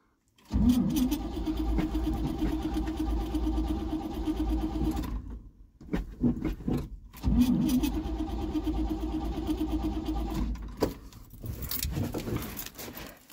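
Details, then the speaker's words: 1974 Chevy C30 wrecker, sat about five years, on a weakening jump pack: two bursts of labored cranking with brief attempts to catch, then dies off; tries to fire but won't start yet. "oh man she's trying"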